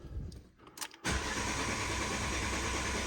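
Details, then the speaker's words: Non-running project car at 66,500 miles, new battery connected: starter spins steadily a few turns per second but the engine never fires; no-start, dash shows fuel cut off. "fuel cut off fuel cut off right it should this should start"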